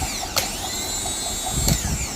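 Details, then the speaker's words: Lexus GS300 with a no-crank, no-start fault: replacement starter bench-tested before fitting gives a steady, even high whine between two clicks with no roughness or grinding; starter works correctly, and the car then starts once it is installed. "तो लगाने से पहले starter को check करते हैं starter बिल्कुल सही काम कर रहा है"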